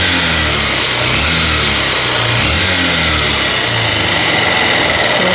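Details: Honda CB Shine single-cylinder bike, sent in after another shop failed to fix it, before repair: harsh rattly mechanical clatter over an uneven idle with throttle blips; abnormal engine noise, tappet cover to be opened to check.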